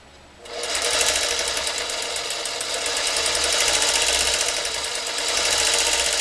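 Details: Vintage Singer Featherweight 221, long unused, unlubricated and unserviced: a fast, even clatter with harsh, bright metal-to-metal chatter over the motor from dry gears, though power at the needle is fair.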